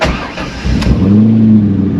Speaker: one good thing though is it starts right up always that was good